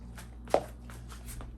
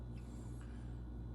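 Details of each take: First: 1966 Mustang with rebuilt 289-based 331 stroker V8, hydraulic roller cam, 600 carb, idle set about 750 rpm: starter cranks, engine catches into fast rough idle with rattling, squeaking noise up front at idle; source not yet found. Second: 1966 Mustang with 289 stroked to 331, hydraulic roller cam, idle set to about 750 rpm (stalls below 700): low, even V8 idle with a steady choppy throb; a squeak or rattle up front noted separately; lopey cammed idle.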